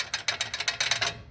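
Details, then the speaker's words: Chevrolet A20 pickup, front right (passenger) wheel: quick metallic clacks when the caliper is knocked. The brake pad retaining clip is broken and loose inside the caliper, and it sounds like the wheel is falling off. "Ela tem uma trava da pastilha e essa trava ela quebrou, ó. Soltinha aqui dentro. Ó o barulho que isso aqui faz."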